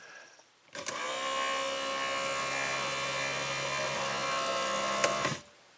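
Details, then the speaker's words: A small electric motor whirs steadily for about four and a half seconds with no limit-switch click: 1993 Cadillac Allante convertible-top pull-down latch on a refurbished replacement switch assembly, bench-tested with a straight ground, stops short of tripping the switch. "It did. Did it click the switch? I didn't hear a click."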